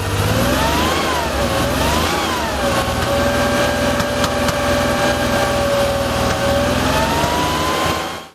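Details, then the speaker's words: Rebuilt Porsche 2.7 L CIS-injected engine, revs raised and held: irregular soft pom-pom popping in the exhaust, a partial lean misfire, not a dead cylinder; one cylinder not burning its charge, which ignites in the exhaust, from a low-flowing fuel distributor port. "it was a partial misfire just means it wasn't running effectively you could hear popping in the exhaust"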